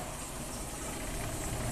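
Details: 1997 Kia Sportage 4x4, worked on for idle surging, with idle set to about 600 rpm and the idle air control valve reinstalled; after a throttle tap, a low, steady rumble with no hunting. Normal idle.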